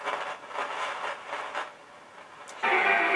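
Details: LEM DM 82 stereo disco mixer: rushing, wind-like hiss surges and fades, then jumps loud and steady as the PCB is flexed, suggesting a cracked solder joint on that board.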